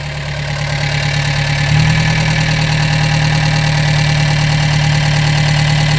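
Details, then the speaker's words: Gehl 3510 skid steer small petrol engine just started after new throttle cable fitted and fuel pump primed, no choke used: steady fast idle that settles after a slight rise, even firing, no knocks or misses; normal fast idle. "Well, that was just too easy. That thing, no choke or nothing. It just took right off."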